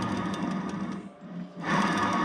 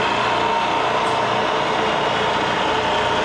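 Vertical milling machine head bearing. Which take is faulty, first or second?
first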